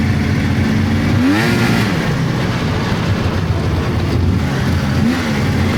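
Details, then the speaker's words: 1999 Polaris XCR700 two-stroke snowmobile with triple pipes and exhaust valves, after drive belt deflection adjustment: crisp drone rising and falling with throttle, no belt squeal at idle or pulling away; motor sounds sound. "overall, yeah, that belt deflection cleared that squeal right up. Um seems like it's sound. Seems like the motor sound."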